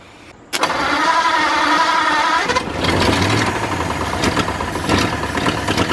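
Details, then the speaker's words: New engine in a 1953 Ford project truck, first start after re-timing with number 1 verified at top, no coolant hooked up: cranks briefly, fires and keeps running with a somewhat uneven but continuous beat; engine runs. "Alright, I don't have coolant or anything hooked up to it, but I'm going to call that a success. It runs. Wow. She ran."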